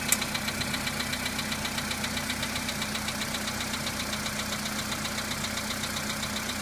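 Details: Polo Sedan on a cold start: cold idle with a sharp, steady ticking knock about four per second over the engine hum; the knock fades as the engine warms, cause unknown.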